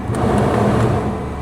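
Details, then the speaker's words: Parked-for-years police car, 115,000 miles at last oil change (February 2022): steady idle with rough low rumble and faint whirr, unchanged with AC on; power steering fluid full, tensioner or idler bearing suspected, not confirmed; accessory drive noise. "Oh my, that sounds awful. It could be either a tensioner or idler bearing going out. I know it could be air conditioning."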